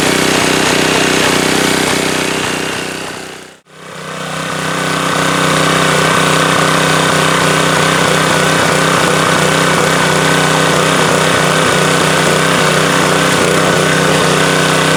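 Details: Subaru electric-start pressure washer engine after oil refill, checked for leaks (over-soaked air filter suspected): steady, even buzz with one brief dip, then smooth consistent speed; runs fine, no leaks seen.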